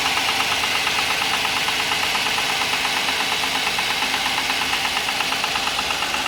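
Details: Audi A6 C6 on a cold morning start: steady idle with light, fairly regular tapping about three times a second over the engine note; knocking of unclear cause.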